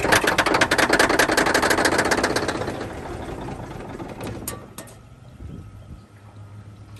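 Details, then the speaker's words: 1971 Peterbilt 352 diesel, long sitting, fresh diesel via temporary line to fuel filter, jump pack: loud uneven clatter about two and a half beats a second, fading and stumbling; rough running, air in fuel system and pump not picking up fuel suspected. "She runs, boys. I think I still need to get some air out of the fuel system."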